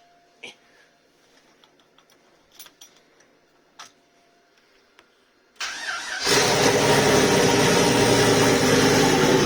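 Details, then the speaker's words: Volvo 240GLE with LS2 V8 swap, turbo project, first start after wiring fuel pump relays and pressurizing fuel system, cold day: starter catches and fires straight into loud steady idle, no stumbling; runs okay, tune needs work, fueling unknown. "oh that's pretty good as far as i'm concerned there awesome it runs okay tune obviously needs a bit of work"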